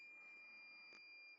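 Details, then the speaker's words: 2003 Ford F-350 7.3L diesel with fault P1747 (EPC), board-level check of terminal 81 with a multimeter on continuity: one clean, steady high-pitched beep lasting just over a second. The circuit is intact. "That pin 81 will go here. That beeps. Hopefully my microphone is not killing that sound."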